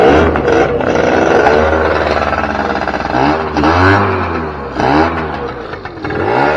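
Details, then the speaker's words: 2006 Keeway F-ACT 50 two-stroke scooter being brought back to life, running off a weed-whacker fuel tank; buzzes and rises in pitch with each throttle blip, then falls back; runs and revs freely but won't idle right until carbs are sorted. "uh say that was a success um obviously i got to get some stuff figured out with the carbs and stuff like that before it will actually idle right"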